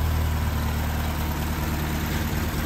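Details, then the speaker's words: Classic Ford at its first start after repairs, at idle waiting for the fan to kick in: deep, steady low rumble, smooth and even with no knocks or misses. "can you hear that the sweet sound of success she's running the fans working"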